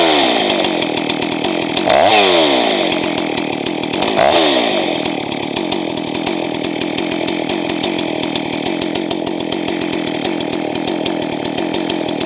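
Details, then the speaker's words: Johnson Red 670 chainsaw after a Tillotson two-stroke carburetor rebuild, setting the high-speed mixture: screams too high and lean twice, then settles to a slightly lower, steadier burble as it is richened. "And you want it to be a little bit on the thick side when you're done. If you're too lean, it's going to lean out more after you start using the saw."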